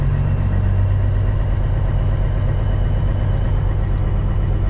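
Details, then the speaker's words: CAT C15 MXS truck diesel after the new internal injector wiring harness. At the certain steady rpm where it is usually worst, a slow uneven pulse of about one wobble a second remains. The shake eases at higher revs and the owner suspects another issue remains. Rough running. "it's usually somewhere around here that's the worst of it yeah we got a little bit of a shake still"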